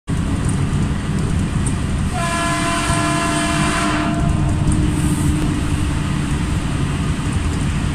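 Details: Keihan 7000 series train 7002F emergency horn: a steady blast with a deep, flat tone over rail rumble, pitched abnormally low; cause unknown.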